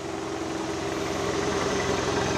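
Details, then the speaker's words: 2006 Saturn Vue FWD with relatively high mileage, heard at the rear: a steady, even idle with a smooth exhaust note and no puffing, ticking or rasp. Normal exhaust at idle. "can hear the exhaust is good no issues there"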